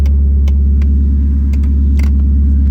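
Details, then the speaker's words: 2001 Honda Civic (body swap into 1962 Rambler American), engine idling: irregular sharp clicks and taps over steady idle rumble from a bad HVAC blend/mode door actuator, to be replaced. "hear that the blend door actuator Mode door actuator is bad so that can get changed before all this gets done"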